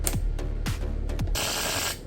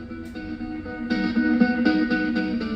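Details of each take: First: Marshall Woburn/Stanmore speaker (no battery) popping on switch-on: three heavy low thumps about every 0.6 s then a hissy crackle burst; shorting-type pops from an amplifier fault. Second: Marshall Woburn 1 speaker after amplifier board replacement: guitar music plays clean and even with no pops or crackles; previously gave constant periodic shorting/clicking noise through the speaker, fixed by new amplifier board.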